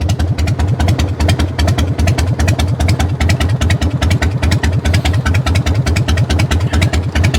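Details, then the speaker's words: Salvage motorcycle with a very sticky throttle, idling: loud, choppy open-pipe sound with even firing pulses and no misses or knocks; sounds fine, normal idle. "she sounds good. She does. She sounds fine."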